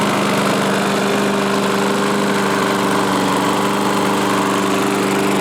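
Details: 1986 Murray mower revived with used parts, started on full choke: fast, even small-engine buzz at constant speed without misses or knocks; running smoothly.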